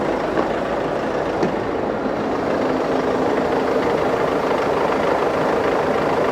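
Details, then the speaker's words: Mercedes Vito van abandoned in a London car park about 3 years, started on key and battery: smooth, steady, purring low-rumble idle with no misfires or rattles. Normal healthy idle. "Mercedes quality you've got a lot of Mercedes it's just so good can you believe that if it's purring it's actually purring"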